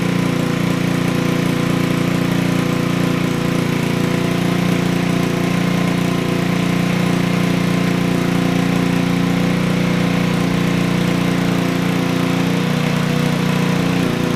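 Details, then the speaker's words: Honda Ruckus scooter with GY6 engine, 2012, hard starting; after starter swap, fast steady buzzing idle well above normal tick-over throughout; owner feels idle speed set too high. "I like idling wait too high because that sounded a little too high to me I feel like that's not good"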